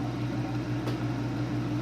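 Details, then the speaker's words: Pride DX-300 bi-linear amplifier's built-in cooling blower running; soft steady low hum without the ticking these units usually have; blower normal. "And like I said, normally they're noisy, ticky. Sounds like a little bomb in the background. This one does not have that issue."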